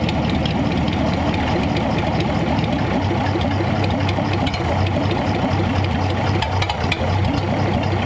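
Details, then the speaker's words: Stock flathead on a homemade engine run stand, distributor advance adjusted which smoothed the idle; very slow, even, quiet idle with a soft steady lope, no knocks, misses or stumbles; runs healthy. "It sounds. you can hear how quiet the engine is."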